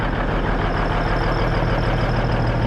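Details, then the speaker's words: Cabover diesel "Kenny" after setting the injectors and valves, idling while warming up: a deep, steady rumble with an even beat and no misses or knocks, smoothing out and smoking less; a normal idle. "Well guys, while I've been sitting here waiting for it to warm up, and I think it definitely is smoothing out, smoking a lot less."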